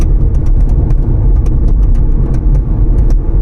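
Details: Proceed in motion: irregular light ticking and clattering over steady low road rumble inside the car, a loose rattle from the trunk lid/rear hatch.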